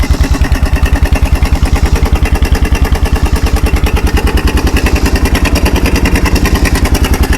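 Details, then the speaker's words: Kawasaki 300 4x4 ATV single-cylinder with new NGK spark plug, in neutral with no choke and running with no air filter fitted: steady, even putter with no knock or misfire; normal idle. "Sorry, guys. I'm So, we're running without a air filter right now."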